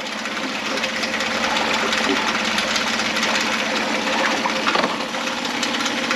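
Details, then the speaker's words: 2011 Mercury 9.9 four-stroke long shaft: steady even buzz in gear with no misses or knocks; the engine sounds really good. "to neutral and then into reverse it's just really nicely and then back to neutral the engine sounds really good"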